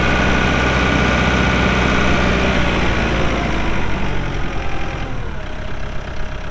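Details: 2014 Kubota M8560 2WD diesel tractor with 8-speed hydraulic shuttle and 1,376 hours, just started after the walk-around: smooth, even diesel clatter settling into a steady idle, no misses, knocks or squeals; normal healthy idle.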